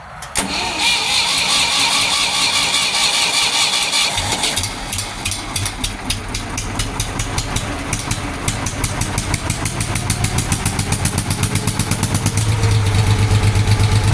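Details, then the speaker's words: Ford 3000 tractor three-cylinder after solenoid replacement and battery disconnect switch install, fuel possibly not turned on: several seconds of cranking before catching, then an uneven, lumpy idle, apparently on two cylinders; hard starting. "I don't think I had the fuel on, but she was kind of hard to start there."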